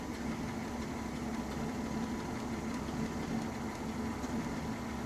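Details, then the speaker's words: 1967 Mustang with Holley Sniper 1100 EFI, running shaky since a timing chain replacement, during professional tuning: steady low idle with occasional uneven stumbles; slight intermittent misfire, cylinder unidentified, owner previously suspected number 4. "Still feels like we got a little misfire though. Can you tell which one? No, you can't."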